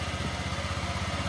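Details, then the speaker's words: Honda Vario 150 scooter whose battery had dropped to about 8 V and would not start: after recharging to about 12.6–13 V it starts and settles into a quick, even idle with steady pulses; charging normal. "Hai akhirnya Ternyata hidup deh nih pegang penyajiannya normal di atas ngisi ages ya tadi 12"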